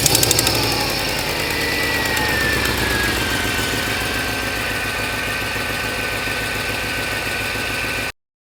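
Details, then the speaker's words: Mercedes CLS55 M113K V8 with long-tube headers, after installing new exhaust manifold gaskets (old one blown out): smooth even idle with faint high whine, exhaust-leak ticking gone. "Alright, so as you can hear, we have no more ticking noise. It is literally a night and day difference."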